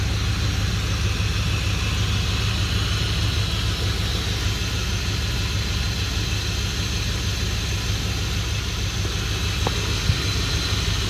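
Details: 2003 Dodge Ram 1500 5.7L Hemi 4x4, just started after a radiator replacement, around 20°F outside, checking for leaks: steady, even low rumble with no misses, knocks or ticks; the V8 idles smoothly and healthy.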